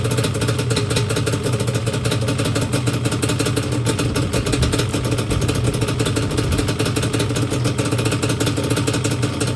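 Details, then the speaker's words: Yamaha Banshee two-stroke twin after carb clean and rebuild, air screws 1 turn out, idle screws turned down: crisp, even high-rev buzz, no bogging; carbs sound well balanced. "So I turn each idle screw down. Yeah, now She sounds a lot better."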